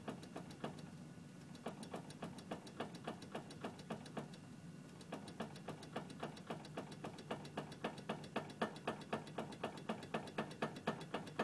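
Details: 2006 Honda CR-V: sharp, quick clunks, about four a second, over a low engine hum while the steering is moved; owner also feels binding or vibration on small bumps.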